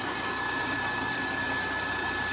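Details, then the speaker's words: Polish American Machine Company manual lathe from the 80s or 90s, three-phase 220V motor run on single-phase 220V through a VFD. It runs normally in reverse after a brake stop, with a steady high drive whine over a smooth hum. "Yeah, it works like normal."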